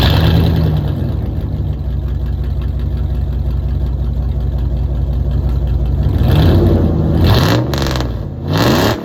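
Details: 5.2L Magnum V8 with new headers and exhaust, after replacing burnt ignition wires: strong, steady rumble with a couple of throttle blips, no pops or bangs, no longer backfiring; normal running.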